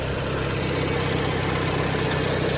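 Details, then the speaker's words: Junkyard Peugeot 3008 with an apparently recently serviced radiator, started on the first crank: steady, even idle with a smooth low hum and no knocks, misses or rattles, revs freely; engine sounds healthy and normal. "standar 306, suaranya kayak gini. Digas masih enak, power steering segala macam, minyak rem oke."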